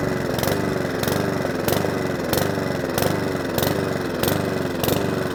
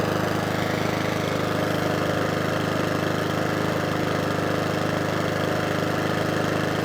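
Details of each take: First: Mountfield 414 lawnmower after fuel drained from the bottom and leak check (possibly tipped up): engine speed swells and sags about every two-thirds of a second, never steady; hunting and surging from fuel starvation. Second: Mountfield 414 lawnmower after repeated carburettor cleans: single-cylinder engine holds a steady, even beat with no hunting or surging; normal running.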